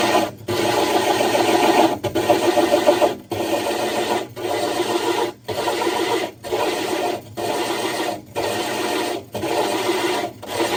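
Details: Diamond hole saw drilling the glass of a 60 breeder aquarium: gritty scraping in regular pulses just under once a second as pressure is lifted and reapplied and drill power varied rather than brute force, cutting smoothly without strain.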